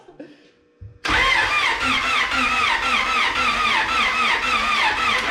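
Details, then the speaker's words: Honda Prelude, freshly rebuilt short block with new Cometic head gasket, first start attempt: starter churns steadily at about two beats a second, engine never catches; ignition coil found unplugged, battery possibly weak. Crank, no start. "Alright, the coil wasn't plugged in. Still dead."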